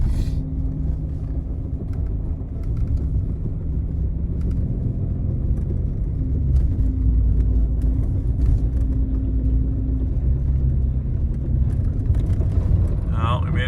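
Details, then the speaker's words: Jeep Wrangler limping home on pavement at 45 km/h after a recovery: a steady low droning whine above the road rumble from the rear diff. "made it back to Pavement um I don't know if you can hear the rear diff not super happy but I think the pinion's probably Smooth by now so that's good"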